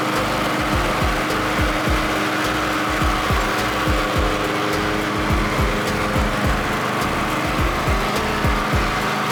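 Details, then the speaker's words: Snapper Pro SW30 52-inch mower, Kawasaki 651V, after full tune-up service: steady constant-speed running, even firing, no misses, knocks or surging; healthy. "but uh everything worked really well I've already mowed I forgot to actually film it but I'll I'll run it a little bit just so you can see what it sounds like"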